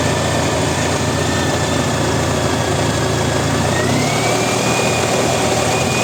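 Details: Honda ST1300 at steady idle with a constant light metallic rattle over the engine note, source not pinned down; engine rattle at idle.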